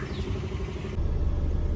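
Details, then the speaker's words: Tata Indica Vista on a test drive after replacing a worn front left wheel bearing and the shock absorbers: steady low road rumble only, no growl, hum or clunk building with speed; steering shake complaint solved, though the tyres are still weak. "ഇപ്പോൾ test drive ചെയ്തിട്ട് വന്നതാണ്. ഓക്കെയാണ്, ഇപ്പം complaint solve ആയിട്ടുണ്ട്."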